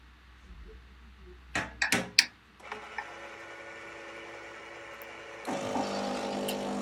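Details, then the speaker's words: Krups FBB14500M bean-to-cup coffee machine after repair of the "unplug appliance" error: clicks and clunks, then a steady pump hum stepping louder as it preheats, purges and rinses water through, steam from the brewing unit; normal preheat and self-clean cycle. "And as you can hear, it's just cleaning the unit itself. You see a bit of fluid coming out there, a bit of water. It's just purging the unit."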